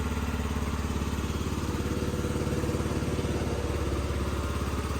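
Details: 50cc Yamaha Vino scooter that had sat unused for about three years, after repair: a quick, even putter of about three and a half beats a second, steady with no stumbles. Normal idle.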